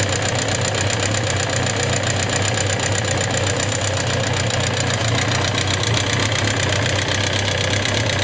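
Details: Suzuki GSX750S Katana: a fast, even tick-clatter over a steady idle since the day after hard revving; rocker arms, camshaft and cam chain parts were replaced and tappets set to 0.07–0.15 mm without change; cause unknown.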